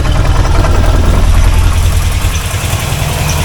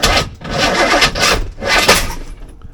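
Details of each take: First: C4 Corvette 350 after rebuild: a steady, even low V8 idle with a smooth lope and no rod knock or tapping. Pressure reads 45 lbs, it is running very rich, and it is not charging. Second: C4 Corvette 350 V8 after engine reinstall, distributor just turned 180 degrees: cranks and catches in harsh, uneven bursts then dies; way too much ignition timing, rough start from over-advanced timing.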